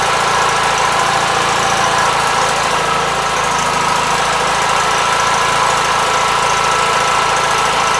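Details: 1976 Gravely 816 single-cylinder engine running at a fast, even chug through the muffler with no misfires or knocking, after a missing fuse and a wire jammed in the fuse holder were found; normal running.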